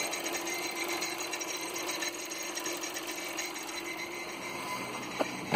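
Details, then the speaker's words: 2014 SEAT Leon 1.2 TSI with rough idle, cam/crank correlation and fuel-pressure codes: light rapid ticking over faltering idle when the high-pressure fuel pump wire is disconnected; pressure drops to about 22 kPa versus roughly 120 bar expected. "so what it really was is it's coming for the high pressure pump and to prove it I disconnected the wire from the thing there it's here and that noise comes back immediately"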